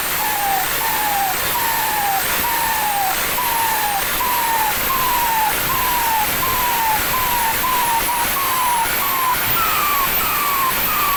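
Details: Loud turbo whistle and hiss rising and falling with each throttle blip, about one and a half sweeps per second, tested after fitting a performance compressor housing.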